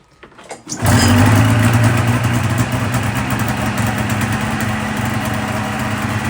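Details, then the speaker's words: 2000 Polaris 550 Trail RMK two-stroke snowmobile after reed valve work and idle screws set about 4.5 turns out: short crank, fires at once, warms and settles to a steady idle with no hunting or misfire; normal idle. "All right, guys, so we pulled it out of the shop and it it idled down to 1,500, 1,600, absolutely perfect."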